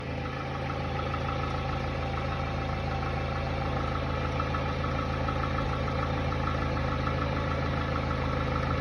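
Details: Hyundai Tiburon 2.0 MPI G4GC 143 hp at cold idle: light, fairly regular tapping knock about four per second under the engine drone. It disappears at operating temperature; owner suspects piston slap.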